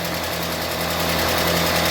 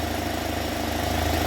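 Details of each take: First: UAZ Patriot engine just rebuilt, first cold start with oil pressure gauge fitted: fast, even ticking clatter tracking engine speed at idle as hydraulic lifters have not yet filled with oil; cold oil pressure not yet meaningful. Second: UAZ Patriot engine after rebuild, warmed to operating temperature with the fan cycling, restarted at idle: steady, quiet, even idle with smooth low hum, no knocking or ticking; oil pressure gauge connected, engine healthy.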